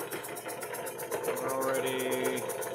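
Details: Vintage air compressor just rewired from 120 V to 240 V, first run after wiring: steady motor hum with even, quick pumping pulse, no stalling or laboring; compressor runs normally.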